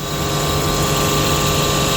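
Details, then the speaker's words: 60-ton Copeland Discus semi-hermetic compressor at initial start-up, checked first by its sound: steady, even hum with constant tones, no knocking or rattling; runs healthy, normal running. "اولین مورد صدای کمپرسور هست. این کمپرسور دیسکاس کوپلن هست 60 صدای مناسبی داره."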